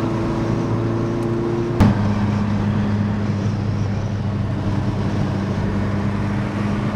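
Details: Mk1 Fiesta XR2 with Jenvey throttle body and Omex 600 EFI, after remaking the inlet manifold and laptop mapping, driven in snow: steady road drone pulling evenly through a change around two seconds, no stumble or misfire. Runs smoothly after the fix.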